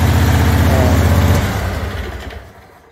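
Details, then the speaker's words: John Deere QuikTrak 652R stander, first start after replacing a dragging starter: even, steady low idle thrum with clean regular beat, sounds a whole lot better, then winds down smoothly at shutoff. "oh that sounds a whole lot better it's alive"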